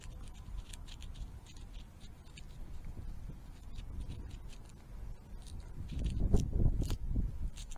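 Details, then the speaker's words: Rear wheel bearing removed from a 1983 Honda ATC 200, spun by hand: gritty, uneven patter and scattered clicks instead of a smooth whir; looked okay but is crunchy, rough wheel bearing, replaced. "it is definitely crunchy so it's a good thing we did that"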